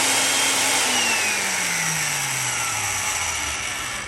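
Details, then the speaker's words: Restored Van Dorn electric drill, at least 74 years old, after cleaning and regreasing: smooth motor hum, a little quieter than before, speeding up slightly as grease works in, pitch sliding down on wind-down; no grinding, running normally. "it's uh a little quieter and not quite as loud you could hear it speed up just a little bit as the grease gets worked in"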